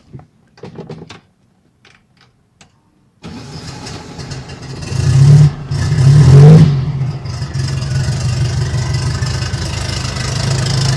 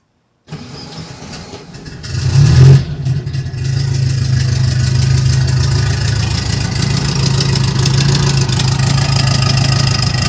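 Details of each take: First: Turbocharged air-cooled VW Beetle after replacing a blown exhaust gasket: cold start cranks, catches with blips, settles into a steady even idle, still warming up, previous ticking gone, AFR reading right. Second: Turbo air-cooled VW Beetle with no boost, short run kept cool: starts and idles with a sharp ticking that speeds up on a brief rev; at first thought a misfire, it was a blown exhaust gasket, later replaced.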